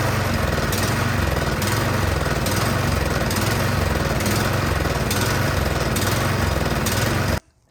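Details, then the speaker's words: Troy-Bilt 24-inch snowblower after replacing fouled plug: runs on choke, but with choke off speed rises and sags a few times a second unloaded; surging from dirty carburetor, fixed by cleaning. "all right it definitely will run but you see as soon as i turned off the choke it's just started surging so that tells me that something is going on in the carburetor"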